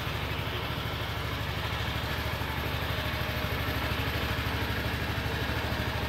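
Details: Brand-new 2013 Znen Roar 250cc touring scooter, 51 miles, third day of break-in: rhythmic rumbling clatter from the rear at about three pulses a second. Owner believes a rear wheel bearing is going out; unconfirmed.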